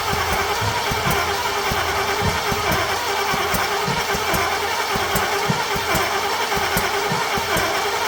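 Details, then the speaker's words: C30 engine with ignition parts transplanted from another truck: irregular sharp pops while cranking, never running; spit-back through the intake/carb, ignition timing suspected then confirmed 180 degrees out. "I hope we're not 180 out we might be we'll know here in a second oh that was a lot watch your [Music] eyebrows h [Laughter] I feel like we're 180 out"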